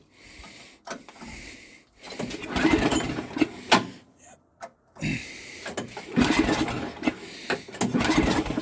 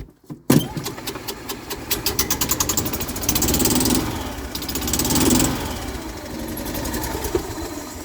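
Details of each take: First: Snow blower, cold start, electric start not working, owner thinks it's flooded; repeated rope pulls, short whirring bursts with brief coughs, never catches. Engine cranks but won't start. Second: Golf cart engine, cold start (exhaust cold), oil change due; brief crank, catches, even steady single-cylinder putter, no misses or knocks. Normal cold start.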